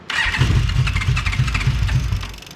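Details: 2002 Yamaha Midnight Venture with choke out, after replacing the fuel pump and fuel filter: the starter cranks with an even chuffing beat and the engine catches briefly, then fades out. Owner suspects it ran out of gas again. Cranks but fails to start.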